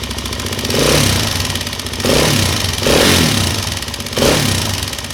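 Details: Suzuki LTZ 400 single-cylinder quad blipped from idle a few times, with a light, quick tick from the head following revs; top-end ticking, cause unknown.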